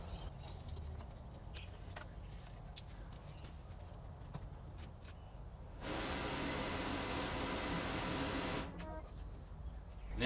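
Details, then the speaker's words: Toyota Tarago/Previa/Estima AC blower motor (swapped from a '95 into a '93) running after correcting its rotation direction: steady, even rush of air with no rubbing, ticking or squeal; blower sounds healthy. "we're cooking with gas. It sounds good. It blows air good."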